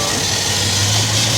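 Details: Petrol engine idling smoothly with a steady low hum, no whistling or hissing, after fixing a very loud vacuum leak; all better.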